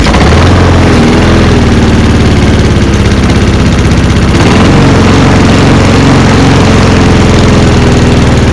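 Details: Walk-behind lawnmower, 2025 startup: single-cylinder engine runs steady then pitch dips and recovers; surging because a broken choke lever leaves the choke loose and vibrating back, otherwise runs fine.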